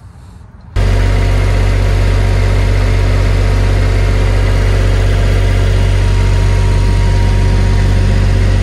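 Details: Diesel generator in a bus RV conversion, mounted on a vibration pad during quieting work, starts and settles into a steady, even low drone with no knocks or surging: normal running.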